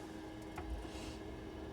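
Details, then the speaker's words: Gas boiler after its motorised valve was replaced and wired with a 5-way connector: soft steady hum, quiet click and brief whoosh as the burner lights; the boiler fires up cleanly and runs evenly. "Boiler's fired up."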